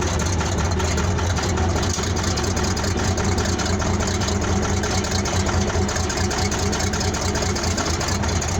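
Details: 1970 military Case 1150 bulldozer diesel, 52 years old, original 1385 hours: steady, even diesel clatter at idle with a deep low rumble, no misses or knocks; sounds good.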